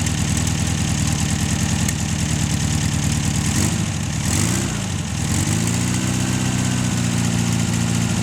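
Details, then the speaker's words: 1600 VW air-cooled flat-four, unrun for 10 years in salt spray, first start on a temporary tank with a reversed fuel filter. Steady low throb with a brief rev dip that recovers to an even idle, blowing rust from the exhaust. Runs cleanly. "How about that? Gotta love them. Showering me with rust and shit out the exhaust."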